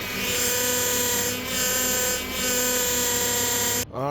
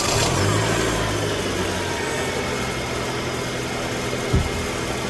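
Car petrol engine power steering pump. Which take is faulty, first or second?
first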